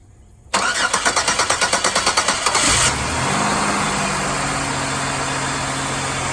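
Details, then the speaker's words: 2002 Chevrolet Impala GM 3.4 L V6 first start after head gasket replacement: the starter cranks about a dozen even beats, three a second, then the engine catches and settles into a smooth, steady idle. Long cranking may be needed while stuck lifters build oil pressure. "Nice and smooth. Sometimes you do need to crank it for quite a while because the lifters are still stuck in the open position."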